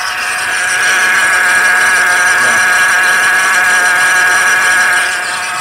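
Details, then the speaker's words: Car with eight pulleys on the accessory drive: loud, steady high-pitched whine with a rough edge from the lower front belt drive; attributed to a loose pulley and worn supercharger. "e a parada é o seguinte um barulho terrível nessa região aqui"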